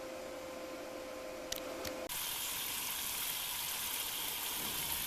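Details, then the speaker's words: Submersible well pump drawing groundwater to refill settling jars: steady tone then even loud rush of flowing water heard above, no knocking or surging; normal delivery. "Voilà l'eau qui vient de la nappe phréatique. On entend l'eau couler là-haut."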